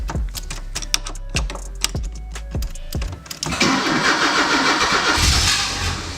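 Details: Porsche 944 cranks but won't start after fuel pump, strainer and filter replacement; steady fast cranking about three turns a second, then a ragged rumble without catching. Fuel pump gets power; ignition seems completely dead; owner plans rewiring ignition push-button.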